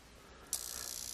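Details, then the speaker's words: Leviton LTB30 exhaust fan timer on a bench supply, buzzing after about a year in use: a quiet start, then a harsh, high-pitched buzz as the relay chatters very rapidly. Its driver can't hold the coil in due to a failed supply capacitor. "we turn it on and sure enough the little arm on the relay is actually bouncing back and forth making and breaking at a very high rate of speed which of course is kind of undesirable to least"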